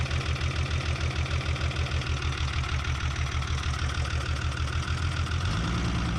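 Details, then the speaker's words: 1975 Chevy diesel stepside that sat about 32 years, on its second cold start after 15 s of glow plugs: heavy, lumpy diesel thumping that shakes unevenly, then smooths somewhat. The number one injector was still bleeding, and worn engine mounts are suspected. Rough cold idle. "all the vibration smoothed out it vibrates a lot when it's cold there but also the number one was still bleeding"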